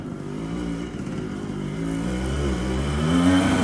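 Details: TC125 two-stroke dirt bike after a carb clean, new fuel line with filter and a swapped spark plug: crackles and revs up cleanly, pitch climbing smoothly without bogging; runs like a dream now, normal running.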